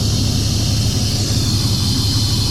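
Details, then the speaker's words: 1999 Chevy Silverado 1500 V8 after replacing the plastic intake gaskets with metal ones: steady, even rumble with a constant hiss on top, no knocks or misses; sounds pretty good, normal running. "man sounds pretty good"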